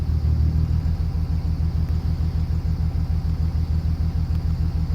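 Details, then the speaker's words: 2005 Dodge Ram 2500 5.9 24-valve common-rail Cummins diesel at idle, injector kill test with scan tool: with injector 1 cut out the idle turns lumpy and uneven, about three low thumps a second, showing that injector works. "And you can hear that really made a difference in the motor."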